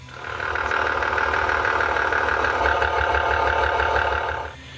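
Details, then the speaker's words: 1994 BMW 325i six-cylinder, 350,000 miles, idling: loud, busy metallic rattle from worn VANOS intake cam variable timing unit (electrically activated, oil-pressure operated), needing rebuild. "It uses an electrical signal to activate it and oil pressure to work it. And it's wore out and making a terrible noise."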